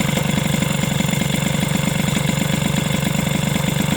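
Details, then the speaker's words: Two-stroke SPX/RCX moped at idle after replacing the engine mount spacer with polyurethane: steady idle with a regular light rubbing tick about four times a second; something is touching, source unknown; the modification is advised against. "par contre il y a vraiment un truc qui touche j'ai un truc qui fait du bruit là je sais pas ce que c'est"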